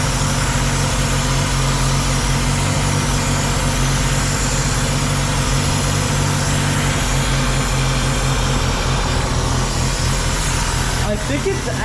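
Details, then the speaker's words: 2000 Ford Contour 2.0 with rough idle under load, after intake gasket replacement; steady idle with constant airy hiss, a vacuum leak traced to a cracked rubber PCV hose running from the bottom of the intake to a metal pipe. "I think the sucking sounds coming from like farther down the inake so we found the culprit which is a rubber hose that goes to the bottom of the intake up to that metal pip right there"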